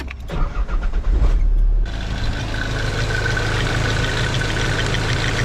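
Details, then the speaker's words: Nissan 300ZX with swapped-in KA24DE engine, cold start: loose, uneven timing chain rattle settling into steady idle; common KA24 weak point, planned fix is removing valve cover and upper chain guide before a long road trip. "un problème très courant avec les ka24 est qu'ils ont un hochet de chaîne de distribution."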